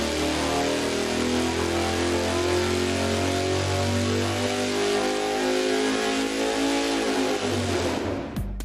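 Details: 514 Big Block Ford on the dyno at full throttle after swapping old dirty spark plugs for new ones, MSD Blaster coil fitted: steady clean climbing roar to the top, no stumbling or breakup, then cut off; normal full-throttle run, 633.2 hp peak.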